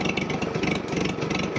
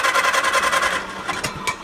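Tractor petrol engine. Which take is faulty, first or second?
second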